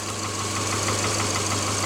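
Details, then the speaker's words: 2009 Subaru Forester just after an engine rebuild, first idling: steady low idle with a fast, light ticking puff from a small exhaust leak. "i got it running and you can hear it idling got a little bit of an exhaust leak but it's running"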